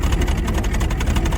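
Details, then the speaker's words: 1985 Chevrolet K20 4x4, 350 V8, running after sitting 10+ years with a coolant leak at the thermostat housing or hose: deep, lumpy, slightly unsteady idle without bad missing; not running great but sounds not half bad, only slight smoke, possibly WD40 sprayed down the carburetor. "he doesn't sound half bad. Not smoking. That's the big thing."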